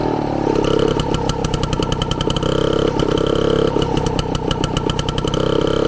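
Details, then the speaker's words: Frazer tiller with freshly installed and timed magneto ignition, first run in 30+ years on 32:1 two-stroke premix with 93 octane, Zenith carburetor: crisp rapid popping exhaust beat, steady rhythm, no knocking; running healthy. "but man she sounds fantastic I don't hear any knocking or nothing it is fantastic"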